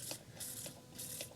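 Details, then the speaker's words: Rover P6 electric fuel pump priming: quiet pulsing hiss about every half second as it pushes air, then fuel, through to the carburettor. "the fact we've got actual fuel you can hear it hissing over"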